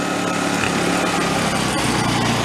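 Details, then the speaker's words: Vintage Coleman Powermate 1500 generator, just reassembled, idling with no load in economy mode: loud even fast buzz easing slightly lower and steady, not revving to 3600 RPM; normal. "it's got a uh like a an economy mode it doesn't see any load coming on it's never revving a 3600 RPM"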